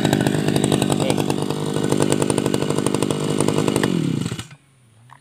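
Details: Tabata brush cutter two-stroke engine, over 7 years of use, original block and piston, two rings recently replaced and piston decarbonized, damper replaced: steady high buzzing run holding even at speed, then shut off and winding down quietly; normal running.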